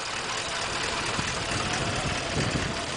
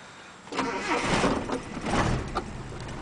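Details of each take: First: Ute idling after warm-up before its yearly roadworthy; cold nights make it cranky and shaking until warm, choke fix part not yet fitted. Steady even idle, one-piece 2-inch exhaust pipe sounds tight with no leaks. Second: Almost 30-year-old never-rebuilt ute engine, uses about a litre of oil per 2,000 km, cold start with inoperative choke; stumbles into life surging and uneven before a shaky idle; hard starting from no choke, exhaust not thought to leak.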